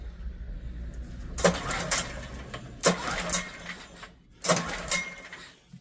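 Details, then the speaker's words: Old Honda generator, barn find stored 20 years, with less choke: three short cranking bursts that die away without running. Spark is present; owner suspects a carb issue from long storage. "Let's give her a little less choke. Wow! Did you hear how quiet that was? I think, you know, we've just got a carb issue where it's been sitting so long."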